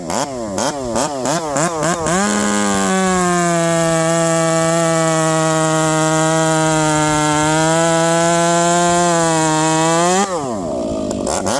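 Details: Ported Stihl MS460 chainsaw with a homemade pipe: climbs quickly to a steady high scream, holds about eight seconds and drops cleanly; this pipe is snappier and revs up faster than the other pipe; healthy, crisp revving.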